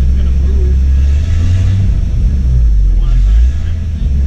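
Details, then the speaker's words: Jeep Cherokee, throttle floored: deep loud rumble that sags and stumbles unevenly under load, never picking up cleanly; owner suspects timing is off; it later would not idle. Bogging under load. "she sounds like she's off like like the it sounds like the timing's off anytime i try to put it under a load"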